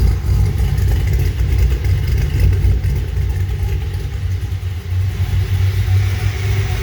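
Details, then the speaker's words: Corvette V8 idle after running eight to ten minutes: deep, steady, even low rumble with no knocking, ticking, smoke or weird noises; healthy settled idle, though a wobbling pulley needs replacing. "sounds good sounds beefy all right everybody so the engine has been running for a solid maybe eight nine maybe even 10 minutes it sounds good there's no smoke there's no clinging there's no weird noises"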